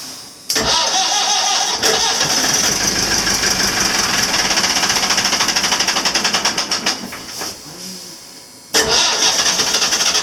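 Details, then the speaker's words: 1984/85 Marine Perkins 4.236 diesel after three months in salt water, no start until start gas given; rhythmic cranking chuffs about three a second firm up as engine catches, then drops away. "Oh well. Didn't work. I'll give it some start gas."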